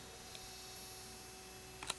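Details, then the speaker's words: Laser light show projector with rotation motor on its lowest speed setting: thin, steady whine over a faint hum with small clicks; whine disappears at faster settings. "one thing I did notice is if you turn the motor on the lowest setting you starts to whine"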